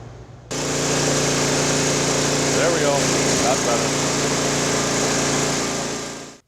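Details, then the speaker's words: Older silver Craftsman 5 hp 24-inch snowblower after a no-start repair (carb cleaned, spark plug the real culprit): steady, even putter at constant speed with no misses or surging; running normally. "all right so let's close out this video here we got it running did a carb clean wasn't overly necessary there was a little tiny bit of stuff in there but the real culprit was going to be that spark plug"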